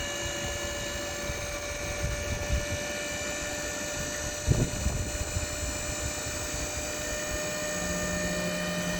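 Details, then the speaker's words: 2012 2500 HD extended cab converted to a dump bed, electric hydraulic power pack raising the bed: steady pump whine with a rough, bubbly gurgle because the reservoir is low on fluid. "A little low on fluid still. I see it's kind of gurgling. So, I think we should put more fluid in it."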